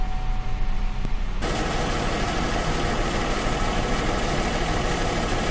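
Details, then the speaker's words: Car after leak repair and refill with water, morning start: engine catches after a second and settles into a steady even smooth idle; runs well, no leaks. "Well, she fires right up. She runs really well."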